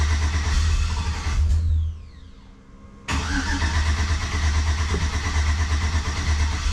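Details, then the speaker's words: Yellow Jeep TJ with a swapped, pre-oiled 5.3 V8 on first fire-up, running off a jump box with the MAF disconnected. It catches briefly, fades, then labours back unevenly and never settles. Owner suspects the fuel pump isn't shutting off, or VATS. "So when I left you, we were pretty frustrated. We'd had a lot of issues. The vehicle wouldn't start, wouldn't run, that kind of thing."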